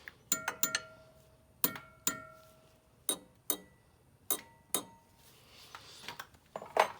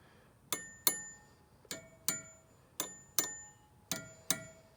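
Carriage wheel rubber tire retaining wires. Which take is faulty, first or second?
first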